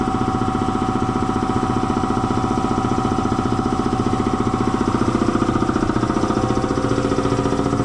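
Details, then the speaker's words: Air compressor slowing down as if tying up, just after an oil change to synthetic compressor oil: steady heavy thumping about four pumps a second, sluggish; drive belt found loose, letting it lose speed. "I don't think the belt's slipping. I need a stick. I need something to push on that belt with. That belt might be a little bit loose."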